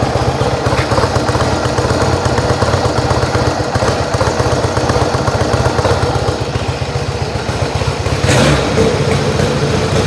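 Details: Yamaha XS1B twin after carbs rebuilt three times, airbox refitted, dead cylinder tune and throttle screws wound evenly for about 1000 rpm idle: steady, even idle with one sharp pop near the end; carbs balanced, normal idle.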